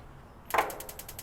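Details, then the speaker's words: Small gas grill after replacing the electronic igniter module (new battery did not help before): sharp snap, then even ticks about ten a second; burner lights right away. "Turn on the gas and give this thing a light. Let's see. Oh, came right on. Yeah, perfect."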